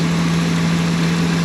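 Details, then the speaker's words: 2002 Ford E-250 van after engine reassembly and coolant flush, first start: steady idle with a constant low hum, no clear knock or tick, clean smell, no fuel or oil smell; strange noise of unknown cause. "I don't know what that uh noise is, though. It's kind of strange."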